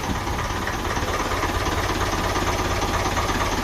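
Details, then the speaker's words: 1955 Ferguson 20 TEF diesel tractor after fuel system work, idling with clutch down, steady even light clatter and constant low rumble with no misses, charging; normal idle. "Delighted. There, clutch. Clutch down. Nice and quiet."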